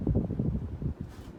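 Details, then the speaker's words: 1999 Hampton Bay Cameron II Plus 52-inch ceiling fan on high speed, slight wobble, taken down with blades on: soft rhythmic thumps and a light tick, suspected loose set screw or tightness, not confirmed. "it does have a slight wobble um this thing was taken down with the blades on so no surprise that noise is just a set screw and tightness questions"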